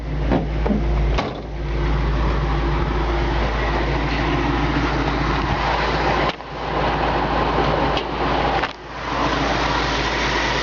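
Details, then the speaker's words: 1965 Ford Mustang convertible, C-code 289 two-barrel V8, rebuilt, original carburetor, pulled over: deep steady idle burble, even and smooth, no misses or ticks; classic Mustang sound. "it's got a nice sound and exhaust got classic Mustang"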